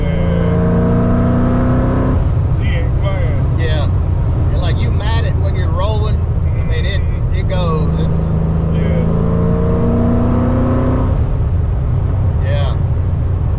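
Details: Tuned 331 stroker V8 in a GT with a smaller intake, running after a failed brand-new part left it dead; deep, even rumble with quick rev rises falling back cleanly to a steady idle.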